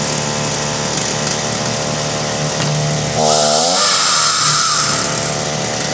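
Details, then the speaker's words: Ryobi RY3714 chainsaw, carb likely tampered by customer; high steady idle then sags and bogs as revs drop with idle screw turned down; high-speed screw tweaked to clear bog, low screw counterclockwise to richen; high idle and bogging. "oh wow oh you see when i got the idle all the way down it bogged a little bit so i went to the high end and turned it just slightly to get rid of the bog a little bit"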